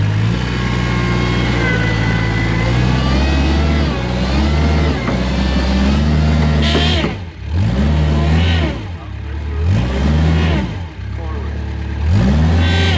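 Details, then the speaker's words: Kubota wheel loader that won't reverse up a steep hill when loaded; reverse circuit relief valve on the HST pump swapped into the forward circuit: engine bogs repeatedly as forward now hits relief and wheels don't turn; suspected faulty hydrostatic relief valve. "All right. So, you could hear it hit relief and forward now. And because I swapped the reverse relief in the forward circuit, now forward is hitting relief and the wheels aren't spinning."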